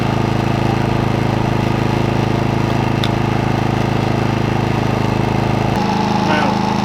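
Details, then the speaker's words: maXpeedingrods 3300W portable inverter generator boiling a 2,500–3,000 W kettle near its full capacity: steady, strained drone at high revs, pitch stepping down near the end; loud and taxing the motor but running normally. "Okay, that was getting awfully loud, so I shut the door because we couldn't even hear the kettle. But yeah, it's boiling the kettle, which is great. It was taking its toll on the motor though."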